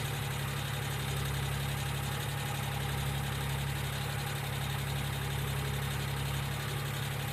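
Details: 1995 Geo Metro three-cylinder idling steadily: light, quick ticking, about four per second, typical of noisy hydraulic lifters. B-12 fuel injection cleaner is added to the engine oil before an oil change.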